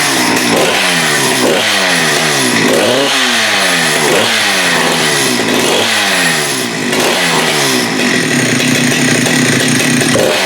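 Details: Husqvarna 394 with HyWay 58 mm big-bore pop-up cylinder (395 project), after fitting an aftermarket carb: screams to high revs repeatedly and drops back cleanly without bogging; no-load speed 12,100 rpm, up from 10,500–10,900.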